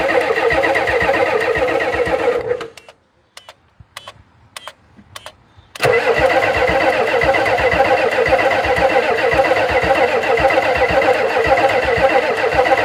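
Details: 1991 Ford F350 dually, 7.3 IDI diesel, unrun since 2010: long cranking, then catches and runs unevenly, stumbling as if fuel-starved. Owner unsure of fuel pressure, suspects fuel delivery and may fit a fuel pump; starter smoking; unconfirmed.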